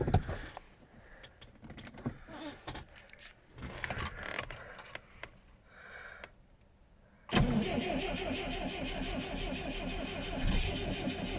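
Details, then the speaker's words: Moskvich 412 in winter at about −15 °C with a new battery, cold start attempt: rattling, then slow, uneven cranking that keeps turning without catching, only two pops; cold no-start, cause unknown. "признака жизни не дал два хлопка каких-то было"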